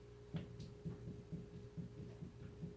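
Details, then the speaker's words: Dull low clunks, about two a second, as the raised right front wheel of a 2012 Ram 3500 4x4 is rocked vertically. This indicates a worn front wheel bearing, which is then replaced. "you can hear that. That's definitely a worn bearing."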